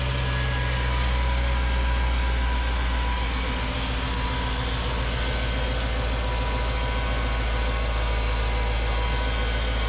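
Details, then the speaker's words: Mercedes CLS55 AMG M113K supercharged V8, cold start after long sit in cold weather, following billet UPD idler pulley replacement: heavy deep drone with fast steady pulsing, very loud; owner suspects supercharger or cold/long sit; loud noise at cold start. "anybody has any guesses that noise didn't go away after it warmed up um not sure what it was it didn't sound like it was coming from the pulleys maybe the supercharger uh maybe it's because the car wasn't started for a while and it's really co"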